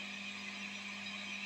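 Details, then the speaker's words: MXR mini iso brick pedal power supply: steady low hum under constant bright hiss with attenuator in chain, increased hum not there before, worse on the higher-amperage outlet; power supply injecting noise. "Now, there's definitely an increased hum in there"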